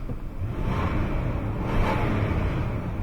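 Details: 2001 Toyota Sequoia 4.7 L V8 idling with a steady, even low rumble after misfire repair (P0300, coils swapped around); no shake, and the check engine light no longer flashes.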